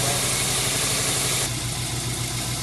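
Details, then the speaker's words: 1999 Subaru WRX GF8, EJ205 engine, after a coolant flush and refill, nearing normal operating temperature: even flat-four idle, slightly fast, as the warm-up enrichment slows; normal warm-up idle. "So we're approaching normal operating temperature now. You can hear the warm-up enrichment cycle starting to slow down."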